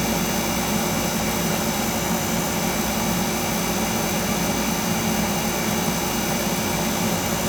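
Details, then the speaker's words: Carlin oil burner with air and dampers wide open: a steady, heavy rumble with a rough, breathy roar and no clean flame note. It keeps choking out, and the burner motor is suspected. "well she's still choking out out well what's not that we're wide open it's got to be the motor"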